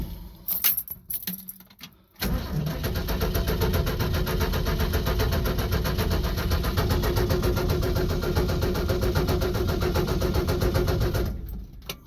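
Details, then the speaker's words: 1965 Ford F100 truck in neutral, about nine seconds of steady cranking at roughly four compression beats a second, never catching; new fuel pump fitted after the old diaphragm broke and leaked gas into the crankcase, no fuel delivered, carburetor needs priming. "I'm not seeing any fuel. I guess I'm gonna have to prime it. Which is a little disheartening, but not the end of the world."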